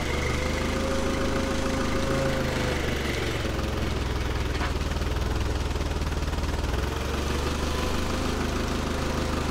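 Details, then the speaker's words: Allis-Chalmers FP-40 forklift after fuel system overhaul, no air filter: slow, low, even idle, possibly a little faster than the 500–550 rpm spec, being turned down. The governor holds the speed steady and the engine sounds healthy. "it's supposed to be about 500 or 550 rpm at idle it might be idling a little fast now let's check and see if we can go a little bit slower"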